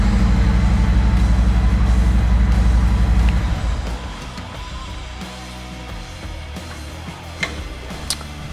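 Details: Harley-Davidson Road Glide Special started in neutral during a troubleshooting session for not starting in gear with the clutch pulled: even, lumpy V-twin idle at about four pulses a second, then shut off; healthy start.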